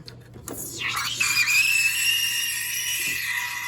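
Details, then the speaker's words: Milk steaming on a lower-power espresso machine with the steam wand in the wrong position: a loud piercing screech climbs, then holds a steady high pitch over the hiss, a mistake to avoid. "You will kill everybody's ears."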